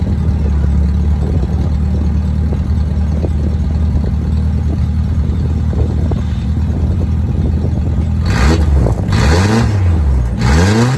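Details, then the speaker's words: 1983 Toyota Celica GTS with its exhaust fallen off, at idle and revved before warm-up: a loud, deep, truck-like rumble that swells when revved. The engine is running with no exhaust. "I gotta warn you right now to have to exhaust fell off when I first got a vehicle so it sounds like a truck"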